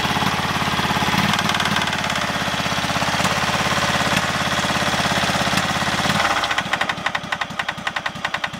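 Heavy, sharp knock repeating around three times a second with each turn, loudest as revs drop, a worn connecting rod bearing.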